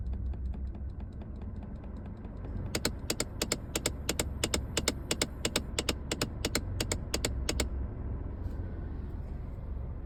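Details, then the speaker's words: 2015 Hyundai Accent at engine start: rapid dry clicking, about three per second, from under the dashboard over a quiet idle, then stopping; source unknown. "Hyundai Accent заводится и вот. Потом все пропадает. Что за звук это? Откуда-то вот отсюда из-под панели выходит."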